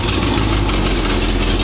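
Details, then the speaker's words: 1951 GMC pickup with rebuilt '65 Chevy 283 bored 0.060" over to 292, Crane cam, 400 small-block heads, under one hour run time, about 45 psi oil, 160 degrees: loud raspy V8 idle from exhaust leak but smooth and even on all eight. "now we we do still have an exhaust leak so it's loud but generally it runs smoothly especially since it only has one hour or less running time on it it runs very smooth for an engine in that condition as tight as it is"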